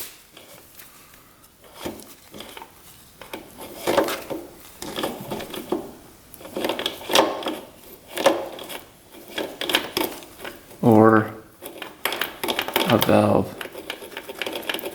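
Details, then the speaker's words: 2006 Honda CRF250R rebuilt engine that locked up on first ride, turned slowly by hand: uneven scraping and loose clunks each turn; crank suspected, not a clutch issue; found to be a broken connecting rod. "that doesn't sound very good sounds like something's loose doesn't it yeah it could definitely be the crank maybe that's what that that rough sound was the crank"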